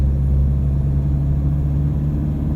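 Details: Toyota Hilux Vigo 3.0 D4D 1KD-FTV diesel road test after injector replacement: steady deep drone pulling evenly through low revs, 1500 to 2000 rpm, only light rattle buried in the rumble. Normal diesel running.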